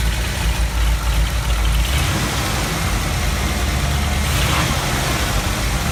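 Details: 1970 Ford F250 V8, already warm, after sanding off corrosion that caused high idle and stalling at stops: catches quickly and settles to a steady, even low idle; runs well.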